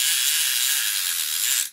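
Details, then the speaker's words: Daiwa Saltiga Ishidai SA-40 fishing reel with line counter; the clicker only works with the line counter on. A loud, fast, high-pitched buzzing click holds steady as line pays out; the clicker ratchet is working normally. "let me show you what it sounds like uh with without the clicker on you don't hear anything but once you turn on the line counter wow that's that's really"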